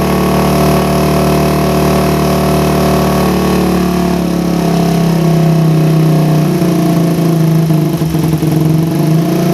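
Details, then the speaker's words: Suzuki Satria FU, standard daily bike, fitted with new PE 28 carburetor: revs rise and hang, then pitch wavers and dips unevenly dropping back. Air screw set for highest RPM at one turn; idle still slightly unstable. "nah setelanya udah dapat guys tapi idalnya masih agak kurang stabil sedikit ya karena ini setel angin untuk mencari raungan RPM tertinggi guys"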